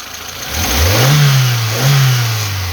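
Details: Geely CK after throttle position sensor replacement, previously jerking and backfiring from 1000–2000 rpm. Two slow blips rise cleanly from idle and settle with no stumble, misfire or popping.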